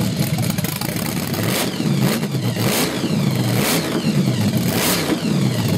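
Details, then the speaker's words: Small-block Chevy 383 stroker with Weiand 6-71 blower, Carter AFB carbs and 93 octane, on a test stand: revs surge up and down about every second, stumbling and catching; owner suspects lean mixture, timing correct, new jets coming. "what is it starving is that why that's doing that I think it's lean it's like it's really thirsty when he catches it"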